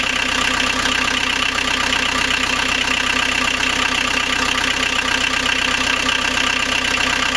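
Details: Rebuilt 1.9L AAZ turbodiesel swapped into a 1986 VW Vanagon Syncro, first start after bleeding injectors, with temporary glow-plug power and cold-start cable pulled: steady clatter about two to three beats a second, no stumble or surging; normal idle.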